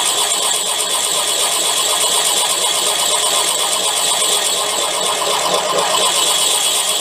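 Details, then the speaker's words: Drilling out a damaged sludge trap plug in a BSA A10 crank with a 15mm Irwin TCT-tipped metal drill bit: continuous even high scraping hiss grinding slowly through very hard metal; owner suspects weld rather than a plug. "Now we're trying to go through with that 15mm TCT tipped drill bit for metal. That's an Irwin brand one. See how it goes. As you can hear how hard that is to drill."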